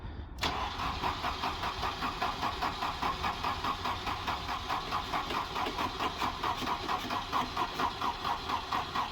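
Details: Volvo 240 after fuel system damage (broken cold start injector), battery suspected dead, temporary wiring: starter churns at a steady beat of about two compressions a second but the engine never fires; cranks, no start.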